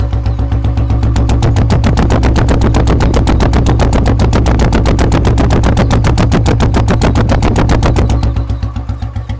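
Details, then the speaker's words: Fully restored 1976 Royal Enfield Bullet idling normally: only a deep, steady bass thump at a few beats a second, no knocks or rattles; the sound gets heavier when revved. Healthy single-cylinder exhaust thump. "நார்மலாக run பண்ணும்போது ஒரு அந்த base, அந்த thumb மட்டும்தான் கேட்கும்."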